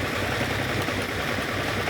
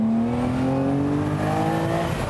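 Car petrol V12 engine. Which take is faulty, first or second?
first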